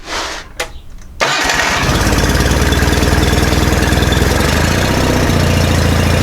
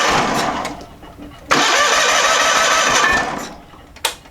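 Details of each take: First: John Deere 318 with Onan P218G twin, after carburetor cleaned and stuck needle valve freed, hand-choked: cranks, catches and settles into an even, steady twin-cylinder fast idle with no misses or knocks; running normally. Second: John Deere 318 garden tractor with Onan P218G engine: strong, steady cranking that never catches, as the stuck-closed carburetor needle valve starves it of fuel; no start due to fuel starvation, fixed by cleaning the carburetor.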